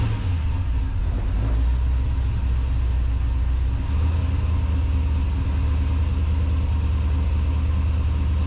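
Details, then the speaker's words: Chevelle with a 370 LS V8 at start-up, cam and short exhaust with mufflers and cutouts: deep, steady rumble with slight cam lope, smooth and quiet, no knocks; owner notes a barely audible light exhaust tick; normal idle. "Starts right up, no problem. It's got a decent sounding cam on it. It actually runs really quiet for the exhaust that's on it."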